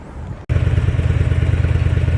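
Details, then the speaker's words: Harley Street Glide about 4 years old, weak battery after sitting 2 weeks, started after charging on a battery tender. Catches and settles into steady lumpy V-twin beat, even pulses, no misses or clatter; runs healthy. "Well, we're back. You can hear that sound in the background. If you know, y'all know what that means. It means we're gonna get to do a little bit of riding."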